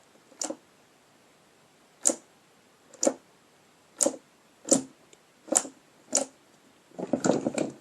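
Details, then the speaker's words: Chevy Blazer/GMC Jimmy floor shifter wired for a non-factory setup, ignition on and brake pressed: pushing the shifter button deactivates the shift interlock solenoid, giving sharp dry clicks and then a quick cluster of clicks; normal interlock solenoid release. "So one thing I'd like you to notice is when you hit it, when you push the button, it deactivates the solenoid. So you'll watch it go down and you'll hear it click"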